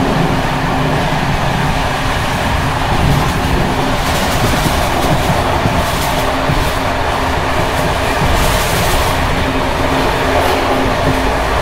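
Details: Czech Bd264 481 coach (built 1979), Görlitz V bogies many kilometres since last major maintenance, evening express on uneven line 190 between Hluboká nad Vltavou and Číčenice: steady rolling rumble with continuous loose rattling and rail-joint clatter from bouncing brake rigging. Rattling bogie.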